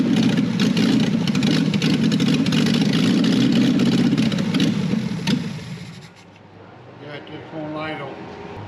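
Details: 1968 BMW 1800 barn find with a cleaned carburetor: the engine catches, runs rough for about five seconds, then fades and dies. Fuel starvation; a blocked idle circuit in the carburetor is suspected.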